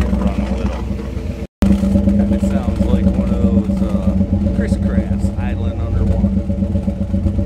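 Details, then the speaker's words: 1963 Impala after sitting with water getting into the exhaust; uneven bubbling, gurgling burble over a lumpy idle as trapped water blows through the pipes; owner plans to drill a drain hole, old one likely rust-plugged. "underwater all right I should be embarrassed letting sit down there water getting in I'm going to go out and drill a little hole in a spot in the bottom of the those pipes let that water out"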